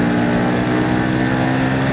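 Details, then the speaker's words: 1977 Suzuki A100 two-stroke motorcycle, unused about a year and previously weak, pulling in fourth gear: steady, buzzy note holding even under load with no knocks or misses; engine sounds healthy. "Nah, ini saya coba tarik si Suzuki A 100 nih, teman-teman. Ini gigi 4 nih. Tuh. Uh, enak rasanya."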